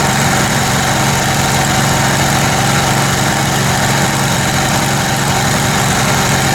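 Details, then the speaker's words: Kohler Command Pro 27hp lawn mower V-twin after head gasket repair, muffler baffle removed (possibly part of gasket failure): loud raspy but even idle, steady low rumble, no misses or knocks; normal running. "Seems to be doing okay now. Got the muffler, the baffle out of it."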